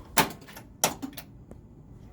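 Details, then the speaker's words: Pinball machine in attract mode, no sound yet: two sharp clacks about two-thirds of a second apart; owner suspects gate relay or outhole kicker solenoid firing, unconfirmed. "but why am i hearing some other thing click is that just the gate relay it kind of sounds like a solenoid is firing it does what is it it feels like it's the out hole"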